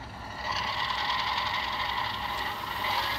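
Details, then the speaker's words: Bachmann model train B-unit under power from the controller: small motor whirring at a steady high pitch with a faint irregular rattle, revving but barely moving; possibly a loose drive rod inside. "anyway if we come over to the controller and we actually give the unit power as you can see it fires up but"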